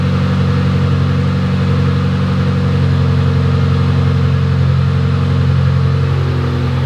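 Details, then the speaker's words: Mitsubishi Evo X, abandoned car rebuild, first start after work: steady smooth idle, no knocks, misses or rattles; healthy, no big leaks over about 10 minutes running, radiator fans not turning on. "not seeing any leaks either so I let the car run for about 10 minutes and there's not really any big leaks so that's good"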